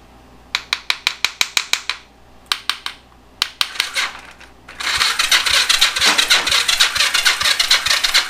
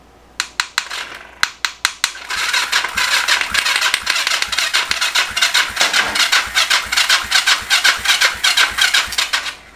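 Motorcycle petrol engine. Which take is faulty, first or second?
first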